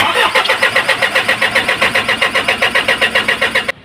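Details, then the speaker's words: Isuzu 4HL1 diesel after lines bled: starter churns in steady pulses about four a second for nearly four seconds with no catch; crank no start from air in fuel system, fixed by pumping at pump bleed screw. "ayaw ang mga kayos sumandar so gagawin natin sabayin natin siya ng bomba dito sa pump ah turnilyo"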